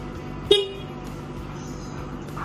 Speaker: Terus yang gua suka juga dari masalah kayak kelistrikan mulai dari kayak lampu atau kakson ini kaksonnya kenceng banget bisa dengar